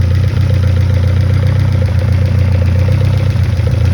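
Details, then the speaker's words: 1971 Toyota Celica RA20, 18RG on twin Weber 40 DCOE sidedraft carbs at idle: deep steady idle with slightly lumpy uneven beat; sync gauge shows one carb reading much lower, carbs out of sync, corrected with balance screw. "Now that one's much lower, and this one is much lower also. So they're not, the carbs aren't synced together."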